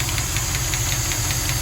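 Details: 1974 Jensen Interceptor, Chrysler Mopar big-block V8, warm idle after a 15-mile run: light, sharp ticking about six per second keeping pace with the engine, a noisy hydraulic lifter (tappet) before replacement.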